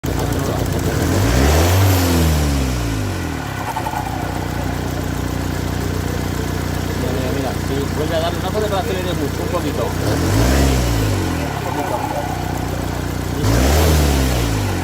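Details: Ford Kuga 2.0 TDCi diesel: engine note swells and falls when pulling away, with an uneven rushing over the top; the worn turbocharger thrust bearing lets the turbo shaft move axially back and forth, causing the noise.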